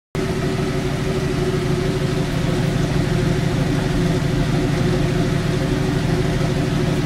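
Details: Jeep YJ with the wheels in the air, idling in third gear: steady low drone with an uneven rumble from the freely spinning wheels, from a bad wheel bearing.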